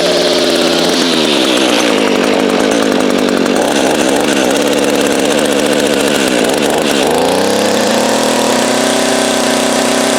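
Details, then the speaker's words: Echo string trimmer two-stroke, cold start after installing aftermarket carburetor, new grommet and air filter, original spark plug: picks up cleanly from idle, revs and settles smoothly without bogging or stalling; normal running. "Okay, let's see about starting it up. Cold start, primer bulb a few times."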